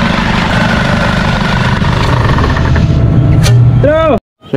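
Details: Isuzu D-Max 4GH1 diesel, converted to mechanical injection, idling after a new injection pump was fitted to fix hard starting and misfiring. An even rumble holding a constant beat with no stumbles or dropouts; normal idle.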